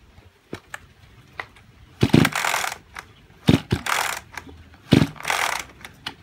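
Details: Kyoritsu chainsaw of unknown condition, bought as junk: three hard recoil pulls with ratchet clicks and spin-down, but it never fires; it cranks but won't start. Seizure or low compression is suspected, not confirmed, and an overhaul is being considered.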